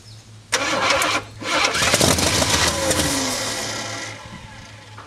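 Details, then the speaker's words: Jeep M715 army truck, converted to carburetor with an added fuel pump, unstarted for years: starter grinds steadily for several seconds without firing; oil pressure near 40 while cranking; owner suspects no fuel getting through. "and it may not be getting any fuel I did have to put a fuel pump on it since it was all electric so maybe it'll pick it up here a little bit"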